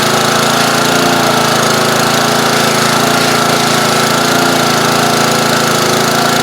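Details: Old pressure washer small engine, air cleaner off: steady, even putter about four beats a second with no misses or surging, runs smoothly; slight carburetor blockage, sounds better partially choked.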